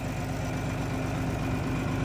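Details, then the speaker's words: John Deere 4020 standard diesel with M&W turbo, started cold with ether; steady even low diesel rumble with faint turbo whistle, no knocks or misses; healthy idle, though it needs a full service. "sounds pretty good fire you can hear that turbo whistling a little bit"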